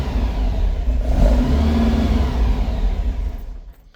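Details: 1957 Oval Window VW Beetle, cold start after carb sync: held up on throttle, revs surge unevenly and sag when released; cold-blooded, won't idle until warmed up, owner may raise idle speed or adjust carburetors.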